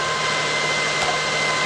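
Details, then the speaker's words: 2005 Lexus ES330 3.3L V6 at startup idle: a constant high whine sits steadily over the idle without wavering; a failing alternator bearing, though it is still charging. The alternator is then replaced. "I will give you all a start up and you can hear the noise as you can tell that's pretty long pretty annoying"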